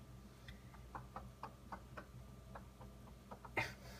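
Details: Day-old Whirlpool bottom-mount refrigerator, model WRF736SDAM: faint, irregular light ticks and knocks about three a second over a quiet hum, then one louder knock; abnormal knocking present since delivery, cause unknown.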